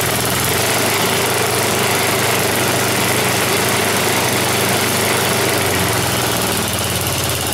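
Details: Snowblower small engine on a final run after its tire repair, before returning it to the owner. Steady, even idle with a quick regular putter and no misses, knocks or surging; healthy.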